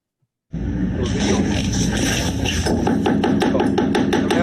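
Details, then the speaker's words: Steinway grand key block (cheek block) system: the key block is fully fastened but the keyframe still knocks, sharp wooden knocks as keys are struck; likely cause is the key block plate too high or not holding the keyframe down firmly; fix is removing a paper layer. "the key block is fully fastened but the keyframe is still knocking well um the cause is probably that the key block plate is too high or it's not holding the keyframe down with enough pressure"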